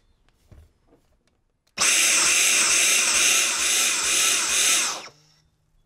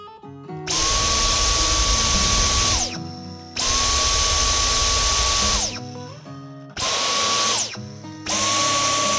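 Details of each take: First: Dyson V10 Fluffy+ vacuum: high whine surges and dips as suction cuts out with the pipe (blockage) icon flashing, caused by moisture left in the filter after washing and 24 hours' drying. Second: Dyson V10 Fluffy+ cordless vacuum after fitting a new compatible filter: starts, runs with a steady high whine and stops, three times, sounding normal; earlier surging and pipe-icon blinking came from moisture left in a washed filter.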